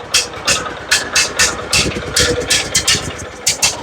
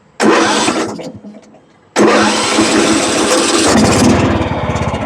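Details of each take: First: John Deere riding mower with a Kohler Command engine on a cheap aftermarket carburetor, choke applied, runs with a lumpy, loping beat of sharp puffs, dumping too much fuel. Rich running, flooding carburetor. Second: John Deere riding mower with a Kohler Command engine that had a no-start from a stuck anti-backfire solenoid and bad gas, after carburetor work and refitting a solenoid. It cranks, catches, dies, then restarts and settles into a steady, even run.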